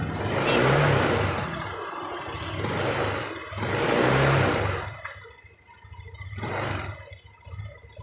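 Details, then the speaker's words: New Honda Beat LED deluxe injected scooter with DTC code 7 and stalling; revs rise and fall unevenly, stumbling and popping as throttle first opens before picking up, intermittent sputter; EOT sensor or resistor suspected, not confirmed. "Kontakan wis, Bro. motornya mengalami berebet. Motor sudah hidup tapi mal eh rada berebet seperti [Tepuk tangan] ini."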